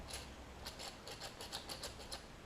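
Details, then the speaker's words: MTD Craftsman LT2000 mower transmission pulley, spun by hand, gives a dry, uneven ticking and rasping about five times a second. The owner suspects worn bearings but is not sure, and it may be normal for this pulley. "this pulley is a little you can hear the bearings on it are a little uh"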